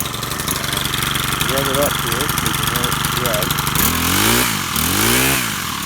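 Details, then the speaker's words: Stihl FS100RX four-mix trimmer engine with new carburetor, fuel lines, fuel filter, air filter and spark plug: buzzy idle settles evenly, then climbs and drops smoothly on two throttle blips without stumbling; runs well, with good torque. "start it up here so you can hear it run and it's a four mix engine so it does have quite a bit of torque compared to your conventional two cycle engine"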